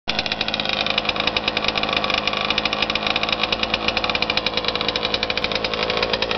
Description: My rm after it rebuild. New crank, crank bearings, rod, rod bearing, piston, cylinder wall, and power valves. Needless to say... its BEAST!!! I outran a raptor 700 on the drag strip at haspin acres 4 times and he beat me twice. Purely awesome power.